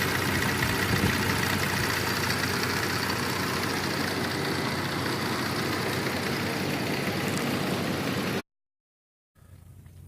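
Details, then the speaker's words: 2004 Cadillac SRX 3.6 V6 after cylinder 1 and 3 misfires from an intermittent injector fault, likely a loose connector: after a 20–25 minute drive it idles steadily and evenly, no shaking, check-engine light off. "Sigue trabajando bien, sin temblar. La luz del check engine sigue apagada."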